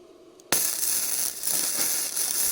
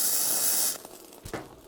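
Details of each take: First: Bestarc entry-level gasless flux-core MIG welder, turned down from 135 amps, on fairly thick metal: steady harsh frying crackle with sharp pops; it is still set a little too hot, though the weld looks good. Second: Bestarc entry-level gasless flux-core MIG welder on a 20 A circuit, on thick metal: even steady crackling hiss, smooth consistent arc, still slightly hot; normal flux-core welding.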